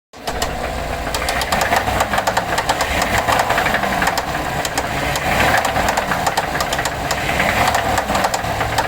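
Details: 2014 GMC Sierra 6.2 V8, 100k miles, idling after rear-end collision damaged exhaust and truck shut off at 45 mph: fast regular ticking knock; white exhaust smoke, oil pressure steady 40 psi; owner asks spun bearing or something else.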